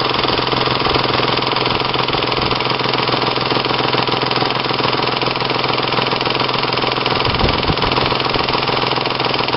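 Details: 1996 Ford Probe GT 2.5L 24V V6 running: fast, fairly even ticking slap about two per second; owner suspects a slack timing belt letting a pulley vibrate, unconfirmed until belt replaced; serpentine belt also found torn lengthwise.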